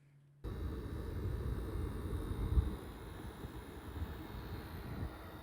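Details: PS5 console fan under load: a steady low droning rush with a rough, buzzy edge; a loud buzzing fan before the owner's DIY fix with silicone O-rings, exact cause unclear.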